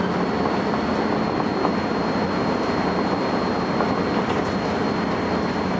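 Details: First Manchester Volvo B10BLE bus 60403 (S670SVU), recorded 30 May 2011: thin, steady high-pitched whistle above the running rumble at constant pitch throughout; source can't be pinned down.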